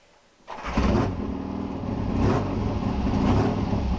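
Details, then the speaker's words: Triumph T120R twin after bottom-end rebuild, timing newly set, warmed up a bit, carbs tickled: after a second's silence it fires and settles into a lumpy, even-firing idle; clean normal start. "Right, yeah, I'm going to fire it up, warmed up a bit. Hopefully it'll fire up straight away, because the timing's set now."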